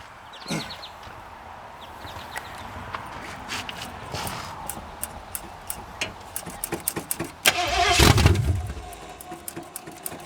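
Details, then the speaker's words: 1981 Ford Mustang 5.0 V8, carbureted, parked since 1996: uneven cranking with sharp pops and a loud burst as the carburetor backfires. The suggested fix is to hold the throttle wide open and keep cranking so engine suction pulls the fire out. "If your carb ever does that, backfires, catches on fire, hold it wide open and keep cranking. The engine suction will pull the fire out."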